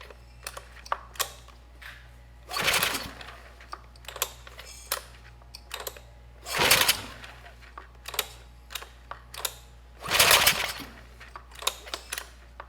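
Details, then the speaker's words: Sportsman GEN2200DFI 1800 W inverter generator (Yamaha MZ80 clone), starting fluid added, smoke escaping: three short cranking bursts, one or two brief kicks, never runs; leakdown blamed, with bad rings or a damaged cylinder suspected. "nope it's not going to start it was trying we got one maybe two good kicks out of it but it just couldn't start"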